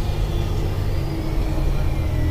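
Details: Mercedes-Benz O-500MA bus, VB Transportes no. 1562, with holed exhaust: deep steady diesel idle with coarse chuffing rumble, no clean muffled note; exhaust leak.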